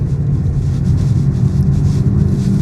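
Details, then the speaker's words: £200 used Ford Focus on a test drive at 30 mph with the gearbox in neutral: steady low whirring, howling drone; worn wheel bearing noise, though gearbox was also suspected at first. "Yeah, that wheel bearing is howling."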